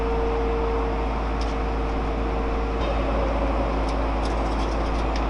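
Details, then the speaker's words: Subaru GC8 with 2006 STI engine swap, first start attempt after starter ground connected, no oil pressure showing: steady whirring crank with uneven chug underneath, no catch; starter sounds unusual, cause unclear. "That starter sounds funny though. Not what I'm used to."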